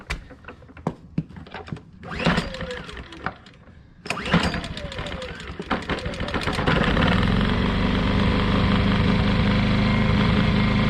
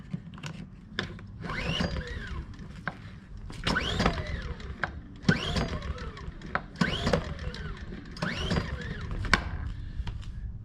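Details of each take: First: Ryobi inverter generator that wouldn't start because choke linkage doesn't fully close, started with choke held shut by hand: pull-start noise, then catches and settles into steady even drone; runs normally. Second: Ryobi inverter generator no-start: repeated recoil pulls about every two seconds, engine never catches; choke not closing fully because a broken plastic part, so it won't fire; starts with starter fluid.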